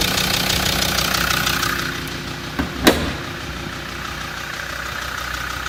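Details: Land Rover Td5 diesel at idle: quick, uneven light clacking rattle over the engine running; something loose or worn, cause not yet pinned down.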